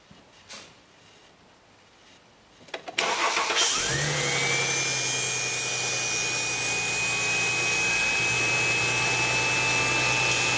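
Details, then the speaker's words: 2011 Mercedes-Benz C300, cold morning first start only: right after firing, a loud jet-like screech rises and holds steady at high pitch over idle; worn secondary air pump, not pulley or power steering, to be replaced. "Well, I don't know what a good one's supposed to sound like, but that one sounds really noisy. So that is the issue. It's not a pulley, it's not the power steering, it's that. It's a secondary air pump."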